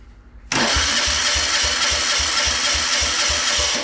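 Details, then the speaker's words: Old military Yanmar diesel compact air compressor cranked on a 12V battery: even compression thumps about three a second but never catches; fuel tank nearly empty and fouled with what looks like motor oil, suspected run out of fuel. "yeah it it wants to go that tank is dang near empty it's probably been run out of fuel"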